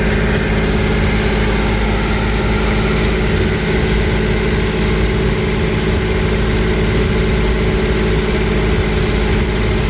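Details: 1992 Toyota pickup, freshly rebuilt 3VZ 3.0 V6 on break-in oil, first startup, 20-minute break-in at 2,000 rpm: smooth steady fast idle, deep even drone, no knocks or ticks; gauges show no overheating, healthy.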